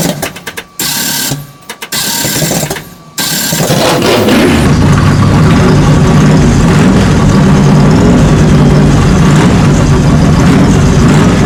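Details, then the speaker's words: 1967 Chevy Nova with 400 small-block V8, running after installing a cheap wiring harness, during break-in, seats out; starter whirs, engine catches and settles into a deep, even V8 idle with steady beat, healthy. "But let me get those ran, and then I will start it up and let you hear it, because it sounds killer."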